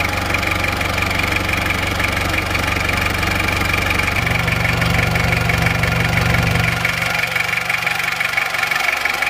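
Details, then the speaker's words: Isuzu Panther 23 diesel after NPR liner and piston ring replacement, injection pump timing reset to standard: steady idle with even regular clatter about three beats a second, no misses or knock; normal diesel idle. "Suara yang nyata, yang real dari Panther 23 yang normal itu suaranya seperti ini. Ini baru saja ganti liner dan ganti ring shaker yang merek NPR."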